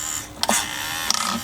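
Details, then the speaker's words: HPI Savage nitro RC monster truck, original 2003 HPI steering servo on a fresh fully charged battery: short, strained, uneven whirring bursts that slow under load; the servo is worn out and was replaced. "It really struggles there. If I right, that's had it. That's well and truly had it."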